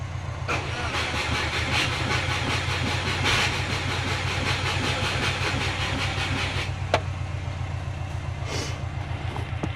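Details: Subaru Forester on Haltech ECU, battery around 13.3 V and dropping while cranking: steady cranking with even compression pulses that never catch. Won't fire; later traced to fuel-fouled spark plugs and a weak battery. Owner briefly suspected the starter.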